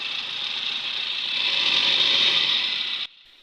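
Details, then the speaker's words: Mahindra Scorpio engine revved: steady high-pitched rasping whir swelling slightly with revs, then cutting off; found by removing belt and spinning pulleys, worn bottom belt tensioner (adjuster) pulley bearing. "तो finally आपने engine का sound तो सुन ही लिया होगा कितना sound है engine का आवाज में कितना साउंड तराहट आवाज है"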